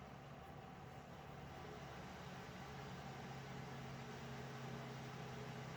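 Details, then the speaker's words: Alphacool Eisbaer Pro Aurora AIO liquid cooler after pump motor replacement, in server under full stress test: steady fan rush with constant low pump hum, no rattle or gurgle; noisy server fans, heat coming off socket; normal operation under full load. "yeah those heat sinks are actually working there's some serious heat coming off that socket okay so you can hear how noisy these fans are"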